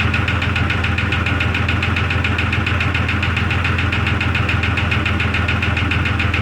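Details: 2002 Jeep Grand Cherokee Laredo restarted in the cold after an oil top-up: steady idle with a light, regular tapping, about three or four per second. Source unknown; owner probes with a listening stick and may tear into the engine.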